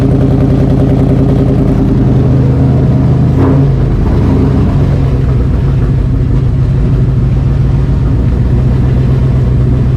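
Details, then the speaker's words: Cobra Daytona replica ("Aluminator") V8 first-ever startup after build: loud, deep rumble with one quick blip settling into an even, steady idle; runs properly, oil pressure good, tach not working, fuel pump issue still to sort. "yeah i think it's just it's got to get fuel into the um a little bit of you know smoke yeah it's it's ready to fire it's it's ready to fire it's alive"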